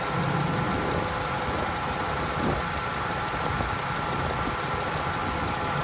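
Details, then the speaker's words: 2012 Dodge Ram 1500 Hemi after an engine rebuild, heard under the hood after a drive; an uneven, slightly stumbling idle under a busy rattle and hiss; it sounds better, but the cylinder 6 misfire is still there. "Let's see how it's sounding under the hood. It down. It does sound better. You can still hear it."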